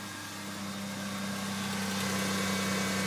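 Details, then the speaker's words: 1992 Lexus ES300, first cold start after exhaust pipe repair and fuel injector work: steady cold idle with a faint, even puffing tick over the hum; minor exhaust leak at the front pipe. "we have a minor leak up here."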